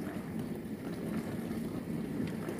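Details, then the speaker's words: LG dishwasher after repair of the main control board for an IE error: soft, even water swishing over a low pump hum, no clunks, grinding or beeps; normal wash cycle. "now it is okay done perfect machine is running well without any problem"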